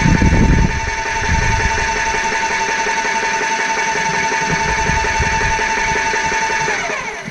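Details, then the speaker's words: Graco 390 PC airless sprayer switched to prime after a not-priming fault, fixed by tapping the seat with a hammer and refitting the suction hose: steady motor hum with even pump strokes, then winding down. Primes normally. "Turn it on, put it in prime, and let's have a look. Yes! We have priming."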